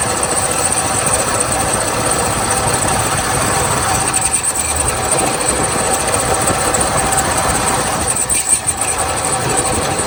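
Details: 1977 Lincoln (Continental Mark V) big V8 first start after about 3 years in storage, new battery, varnished fuel filter: uneven, stumbling rough idle with lumpy beat and ragged exhaust, smoking heavily; known vacuum and exhaust leaks, bad water pump.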